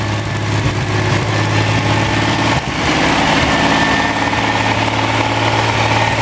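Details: Freshly rebuilt Ferrari Dino 246 GT engine, fully restored and run on a small test stand before final installation, with oil pressure, water temperature and exhaust being checked: smooth, even idle, steady low beat, no knocks or misses; normal idle.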